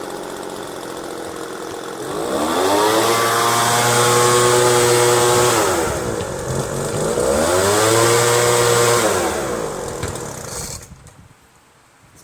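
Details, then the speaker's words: Craftsman 25cc two-stroke leaf blower after replacing the torn diaphragm with one from an old unit, cleaning the carburetor and changing fuel lines: two clean blips to full revs, then a steady buzzing idle before shutoff; normal idle. "got this 25cc craftsman leaf blower working by changing the diaphragm from an old one clean the carburetor change the fuel lines now it idles pretty"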